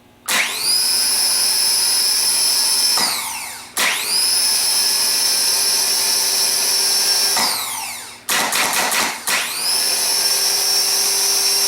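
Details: Rebuilt Ford PMGR starter bench-tested on the ground with jumper cables to a battery, run to wind out: motor spins up fast to a steady high whine, holds evenly, then winds down, three clean runs; starter sounds healthy.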